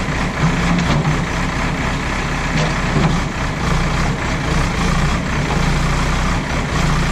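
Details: JCB backhoe loader diesel test-worked after the fuel line was bled, checking that it no longer cuts out. A steady rumble holds evenly while working, with no surging, dying or misfire. Running normally under load.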